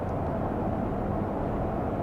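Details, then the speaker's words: 2008 Ford Expedition with unmaintained transmission, dark fluid, light torque converter shudder, after adding a shudder-fix additive; steady road and drivetrain rumble at the speed shudder usually occurs, no pulsing or judder: no torque converter shudder. "Have not had any shudder. I'm going at the speed at which it happens on this particular vehicle."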